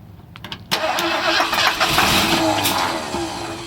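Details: 1978 Ford Bronco Ranger XLT barn find, sat 20 years, cranked with starting fluid; engine not locked, rats in plug wires: short ragged burst of firing that sputters and fades after a few seconds; fires briefly then dies.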